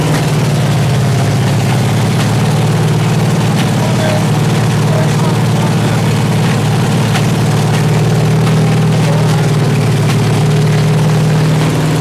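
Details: 383 stroker V8 on an engine stand with open headers and water-only cooling at 210°, after a 2000–2200 rpm break-in run. Loud, uneven rumble with spits and pops; rough idle, idle not yet set.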